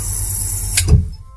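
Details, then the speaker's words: Sanyo shallow-well water pump: running hum and hiss end in a single heavy low thump at shutoff, water hammer as suddenly stopped flow surges back through the pipes and shakes the pump and pipework. "Itu kayak suara hentakan. Suara hentakan itu berasal dari air yang disedot kemudian tiba-tiba ditutup secara paksa seketika, sehingga terjadinya arus kejut yang kembali lagi ke dalam pemipaan, dan dia akan bolak-balik sehingga mengakibatkan pompa ini bergetar. Istilahnya itu adalah water hammer."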